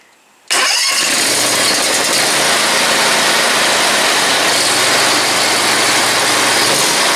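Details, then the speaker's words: Grasshopper 126 mower engine, being repaired for oil leaks, started with a little choke and throttle: catches at once and settles into an even, steady roar with no misses or knocks; normal start and run. "it looks like i might have to choke a little give her a little gas give her a little chokie"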